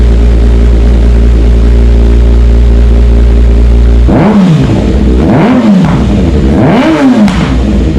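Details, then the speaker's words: Kawasaki ZX6R with decatted stock header and slip-on installed: loud steady low idle, then three quick blips rising and falling sharply; free-breathing exhaust revving cleanly. "Yeah, she definitely sounds way better, and I can tell it's breathing so much better."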